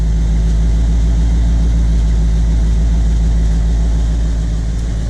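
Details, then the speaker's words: 1975 Chevy C10 long bed V8, cold start idle recorded from outside; a spark plug wire needs fixing: low, even burble with a steady beat and no knocks or misses. A healthy V8, very quiet. "It is very quiet, so I don't know. I need to drive it more and get a feel of what I want to do with it. But it's very quiet to the point where on the road you can hardly hear the truck running."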